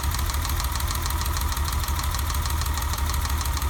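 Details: BMW E30 at idle after a new distributor cap and rotor: a lumpy idle whose uneven low-pitched pulse stumbles every few beats. The misfire persists.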